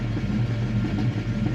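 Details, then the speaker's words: Fox Body Mustang, warmed up after fuel injector cleaning and a battery-disconnect idle reset: low, even idle burble with no hunting or stumbling. The idle is steady and smooth. "we'll see it's not fluctuating or doing anything crazy"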